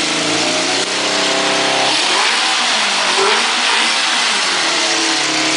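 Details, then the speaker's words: Kawasaki KZ650 motorcycle engine after being adjusted and fixed: a steady, even note with smooth revving and no knocks or rattles. Now stable and quieter than in the earlier clip; normal running. "Máy sau khi đã chỉnh xong thì cái tiếng nó đã ổn định và nó không có to như cái clip clip đợt đầu"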